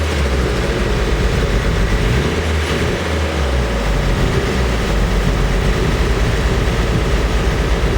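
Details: Nissan S14 SR20DET, freshly rebuilt with OEM parts, filmed completely cold: starts fine but heavy drone with uneven, lumpy throb at idle and any steady rpm, revs up fine; misfire with rough idle, running very rich with black smoke.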